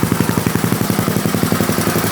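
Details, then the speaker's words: Rebuilt Yamaha Raptor 660 single at idle after realigning the exhaust gaskets that caused the leak: even, steady thumping about eleven beats a second with no chuffing; the idle is now normal. "No more choo-choo train. The exhaust gaskets weren't lined up."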